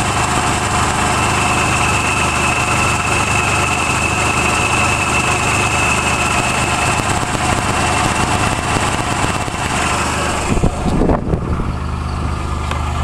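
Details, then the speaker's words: Nissan Hardbody King Cab SE built December 1985, VG30i, 5-speed manual 4x4, 160,030 miles, custom 2-inch catback exhaust; warm idle with a light, uneven ticking about twice a second, apparently exhaust-side; source unclear, owner wondered about oil pressure, piston slap or spark ping. "Sounds like it's like right there. You can really hear it from down here."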